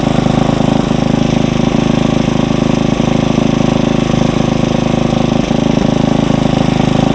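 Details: Tiller engine at raised speed while warming, no load: steady, even regular beat with no misses or knocks; normal fast idle.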